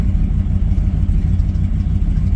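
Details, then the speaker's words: 2007 Dodge Ram 1500 HEMI, check engine light on then blinking, OBD2 reported oxygen sensor faults, upstream sensors already replaced: deep uneven stumbling idle with a backfire; rough running, owner suspects downstream oxygen sensors, unconfirmed. "so it's not it's not doing whoa even backfired you heard it you hear it so just sitting here idling it's not want to do very well"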